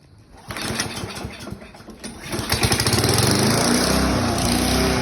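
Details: Toro mower that would not start catches after a short crank, stumbles briefly, then settles into a steady, even run of about four beats per second; normal running.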